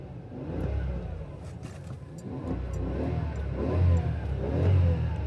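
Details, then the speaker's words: Toyota Century V12 in neutral after a torn transmission mount was replaced: revs rise and fall evenly with a deep steady rumble, no knocks or clunks; just normal engine noise. "It's just pure engine noise now."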